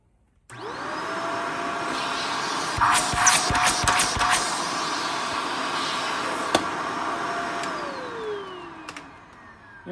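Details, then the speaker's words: Shark Navigator Lift-Away ZU651 vacuum after poor-suction repair (power nozzle clog cleared, filters serviced, hair cut off brush roll); motor spins up to a steady high whine with even airflow hiss, handling bumps, smooth wind-down; suction okay, normal running. "So that was a good fix. Suction's okay. It's already dirtied this thing up."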